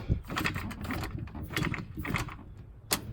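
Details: Samsung top-load washer laid on its side, in spin mode: uneven clicks and rattly flapping bursts over a low spin rumble, like a playing card in bicycle spokes, from a bad, slipping clutch; replacing the clutch fixes it.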